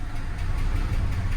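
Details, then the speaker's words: 2000 Jeep Cherokee XJ, suspected coolant in the oil and ticking earlier, runs rough with a low, uneven, lumpy idle once warm, then oil pressure drops and it is shut down. "oh she's running rough the engine got a little bit warm"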